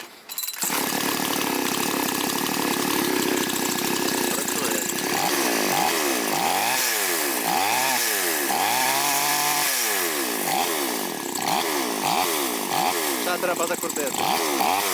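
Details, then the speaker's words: Chinese two-stroke chainsaw during carburetor adjustment: raspy note keeps sagging and picking back up, never settling to a firm idle; idle speed set too low, idle screw needs turning in further. "Так, оберти ми виставили, пробуємо заводити. Так, замало холостого ходу."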